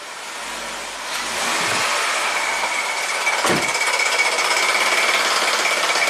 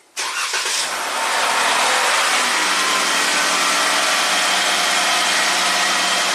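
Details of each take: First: 2017 Jeep Rubicon with codes P0390/P0394, revved while the bank 2 exhaust cam phaser solenoid is powered: a fast, hard metallic rattle rides over the engine; the cam phaser rattles. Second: 2017 Jeep Rubicon (codes P0390, P0394, bank 2 exhaust cam rattle) after replacing an oil gallery plug: starts right away and settles into a smooth, steady idle with no startup rattle; fixed.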